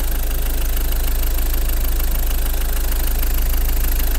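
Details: Ford Focus diesel, used car inspection, turbo slightly sooty, intercooler slightly oily: deep, even diesel throb at about four pulses a second with usual light clatter, no belt/roller whistle; healthy idle.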